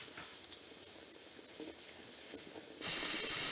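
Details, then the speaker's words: Small wood-fired pottery kiln firebox: a steady high hiss with small crackles as water boils off wet firewood, stalling the temperature rise; burning drier wood such as old pallet boards and oak fixes it. "You can hear that water boiling off. The solution is to burn drier wood."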